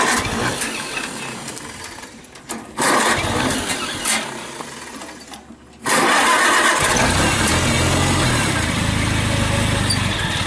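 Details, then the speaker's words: 1955 Farmall Cub tractor, sat all winter in shed with battery maintainer, cold start: short crank, catches at once, settles into slow even quiet idle about 400-450 rpm with good oil pressure; normal cold start and idle. "I do believe that is like 400 and 400 to 450 RPM you can't even hear the tractor running except there and just idles as nice as could be carries good oil pressure"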